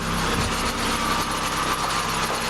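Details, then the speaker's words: Chevy Cavalier that sat two weeks in freezing cold, due a tune-up, at idle: thin steady high squeak over the engine, like a dry pulley; owner suspects the power steering pump pulley. "Foley which I do believe to be the power steering pump Foley or somewhere in there"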